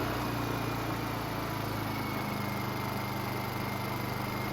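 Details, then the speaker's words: Honda EU2000i inverter generator with a rebuilt carburetor and a spring fitted. It drones steadily at a constant pitch with no surging, and speed transitions are smoother. Air filter assembly is off and the idle stop is not yet set. "the transition at different speeds as well as running on the higher rpm is a lot smoother out of the spring you see big difference comes down a lot smoother too as well"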